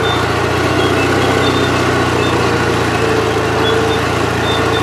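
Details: Gravely 8163-T engine under load after carburetor adjustments; steady, even note holding speed with no surging or hunting, earlier hunting gone; governor settled, engine healthy.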